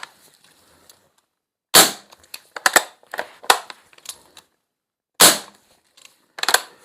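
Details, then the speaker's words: Lee Enfield CO2 .177 BB replacement magazine, rotted seal bodged with a modified Crosman seal, Umarex CO2 bulb, dry-fired without BBs: sharp clean gas cracks with no hiss between. Normal dry fire, magazine now sealing. "Not the best repair in the world, but it is sealing."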